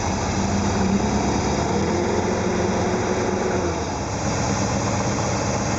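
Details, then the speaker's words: 1974 Porsche 914 2.0-litre air-cooled flat-four, MPC injection, still warming up: steady, slightly raised idle, running smooth, from the warm-up valve held open acting as a vacuum leak; it closes and slows the idle as the engine warms. Normal. "the valve is open and it causes a vacuum leak it makes an idle faster as it warms up it closes off and slows the idle down"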